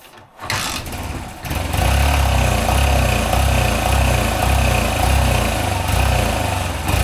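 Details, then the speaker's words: 1983 Honda CF70 Chaly off the road for 35 years, started on sprayed fuel with no working carb: cranks briefly, catches, then settles into a steady, lumpy low thump of about four beats a second; the rear wheel spins, so the clutch seems okay. "We've got it started, that's the main thing. It runs, the back wheel spun, which means the clutch seems to be okay"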